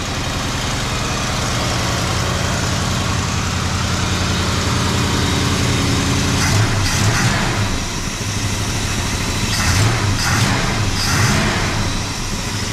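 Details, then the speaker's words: 1968 Dodge Charger with original 318 V8, parked in a field since 1990, first run in years after power steering fluid was topped up: deep, steady burble with an even beat, no knocks or misses, normal idle. "boom first time running in four years and it's purring like a kid gotta love these old mopars never seem to die oh yeah it's just purring"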